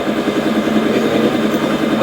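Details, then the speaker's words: Yamaha Lexi scooter pulling away: choppy pulsing rattle from the CVT, slipping judder; cause unconfirmed until teardown. "Tuh iya, gerdek gitu, licin."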